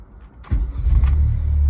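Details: Honda Fit first-generation with L15B7 1.5 VTEC Turbo swap, KTuner-modified ECU, Hasport mounts, wiring unfinished, first running: quiet lead-in, starter catches quickly, settles into steady even low idle, no knocks or misses; normal start.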